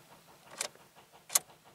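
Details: Car on a windy 59-degree morning, showing starting system fault after apparently dead battery: three sharp dry clicks about half a second apart and no cranking; owner suspects the battery, cause not confirmed.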